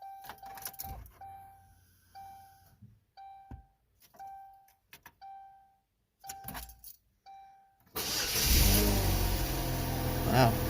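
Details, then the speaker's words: 2005 Chevy Cavalier 2.2 with 322,000 miles, after replacing the intake gaskets, oil pressure switch and crank sensor for a P0301 misfire and starting problems; air temperature sensor unplugged. Door chimes, then it fires almost instantly into a steady idle; normal start. "fires right up usually it does a couple revolutions before firing up"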